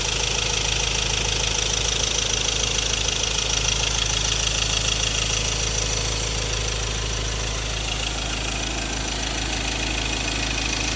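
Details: 2016 Ford Ranger 2.2 XLT 4x2 manual Duratorq diesel: sharp very even clatter about three per second at idle; fuel knock, possible injector problem, unresolved by the dealer.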